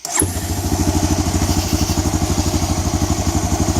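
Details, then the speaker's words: 2004 Honda Recon 250 ES (TRX250TE) ATV after a Keihin carburetor rebuild and rerouting the throttle cable so it returns to idle: starts at once and settles into a quick, even, steady idle with no stumbling or hunting, running like a top. "fed it back through popped it back together and now she's running like a top I just to the idle cranks right up"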